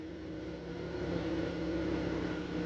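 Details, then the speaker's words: Cadillac CTS after replacing O2 sensors and clearing codes, rough for the first seconds then relearned; soft, steady low hum with no stumble or vibration, even note; normal idle. "now that we got the new components in there I'm sure it figured itself out and man is it smooth you can't even tell the thing's running"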